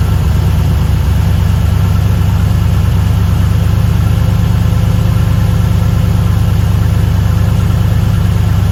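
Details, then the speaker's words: LS1 V8 one-tonner idling on first startup after fitting an upgraded Aeroflow 78/75 Gen 2 turbo and new cam: a deep, steady lumpy idle with even firing pulses and no puffing or ticking from the exhaust side. Turbo spinning well, no exhaust leaks, normal idle. "The turbo's spinning good. I can't hear any exhaust leaks, which is great."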